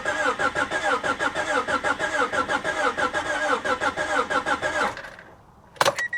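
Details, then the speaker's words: Salvage vehicle likely sitting 15–20 years, mouse-infested, suspected rotten fuel, fuel pump suspected missing; starter churns about six uneven beats a second for five seconds, compression sounds uneven, never catches. Cranks but no start. "nah I knew she wasn't going to start guys I just needed to hear it crank over"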